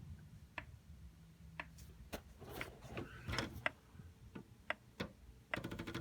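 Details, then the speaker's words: Carver PM-1200 power amplifier, for parts: powers on straight into protection with solid red light, sharp irregular clicking inside about once a second then a buzzy rattle; rear fans not running, cause unknown. "power it on it immediately goes into protection you can hear something clicking on the inside of the unit"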